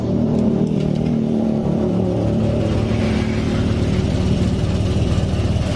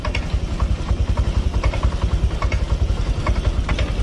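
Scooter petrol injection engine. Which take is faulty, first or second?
second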